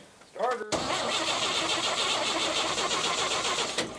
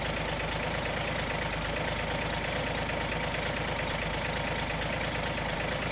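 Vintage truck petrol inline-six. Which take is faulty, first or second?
first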